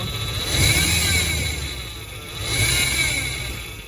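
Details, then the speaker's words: 1994 Chevy Astro van, engine revved: gritty rattling grind and thin high whine from the fan belt area, noticed for about a week; traced to a worn idler pulley, fixed by releasing belt tension and replacing the idler. "so for the past week or so we've been noticing a distinct rattling or grinding sound coming from the fan belt on our 1994 astro van so this is the noise that we're hearing"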